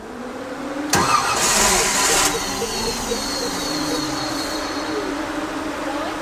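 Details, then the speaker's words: 1955 Chevrolet Nomad fed from a jug off the fuel pump: a short crank, then it catches, runs roughly at a ragged idle and stalls. Spark is present; owner suspects watery fuel. "yeah okay well I don't know what is going on now it did just run off the bottle now it's not running off the bottle"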